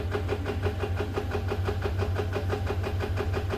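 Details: Subaru FA20 engine at start-up: fast, fairly even clatter around three beats a second over a low drone; VVT rattle suspected, not confirmed.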